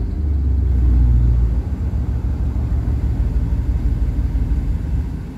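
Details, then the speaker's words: 1998 Chevy K1500 5.7 Vortec with stalling and loss of power despite many new fuel and ignition parts: deep, lumpy idle whose rpm sags and swells instead of holding steady; rough idle, cause unknown. "but it says she is a rough idol rpms in her literally just bounce everywhere"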